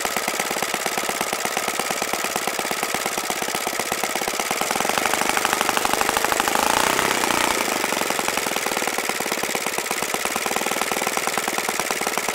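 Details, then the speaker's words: OS FS-95V four-stroke glow engine on its first run after rebuild, on 15% four-stroke fuel, Master Airscrew 14x6 prop and OS F plug, electric-started. It runs fast and even with a crisp steady buzz, briefly rising then settling, and sounds normal. "seems to be a really fine running engine you saw this a 14-6 prop it was willing to turn over ten t"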